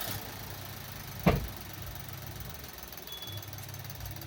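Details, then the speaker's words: Maruti Suzuki S-Presso, after refitting the air filter housing and clips: low, even idle hum after one brief clack at start-up, no ticking or hissing; the earlier noise, caused by poor airflow into the air filter, is gone; normal idle. "हां guys बिल्कुल वो आवाज चली गई है क्योंकि यहां पे ना एयर अच्छे से नहीं जा पा रही थी एयर फिल्टर के अंदर"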